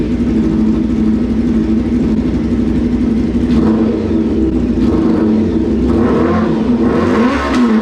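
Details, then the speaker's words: 1995 Honda CBR600F3 four-cylinder with spark plugs and a new ignition coil, running on an external tank and battery: the revving note wavers, surging and sagging unevenly. Erratic running, possibly a carburetor issue. "Okay, after a little tweaking around, it's still acting a little funky. I'm having a hard time understanding of what exactly is happening."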